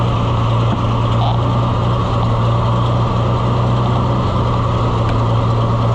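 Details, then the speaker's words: Oliver 1800 C series tractor that sat about a year, charging at 14.4–15.2 V, runs with a low steady chug and then won't keep running. The owner suspects fuel starvation or a sticking carburetor float and says it would need the carburetor taken off to run its best. "But it won't keep running. I about fell over."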